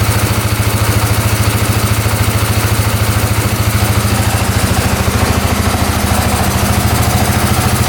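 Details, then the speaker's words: 2010 Polaris Sportsman 550 EFI ATV running again after a blocked case breather line was cut: even single-cylinder thump, revs and settles straight back to idle with no misses, knocks or smoke; normal idle. "Well, I think we fixed it. We're let this idle for a bit, but yeah, sounds pretty good."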